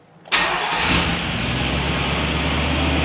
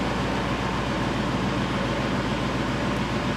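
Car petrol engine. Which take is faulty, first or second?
first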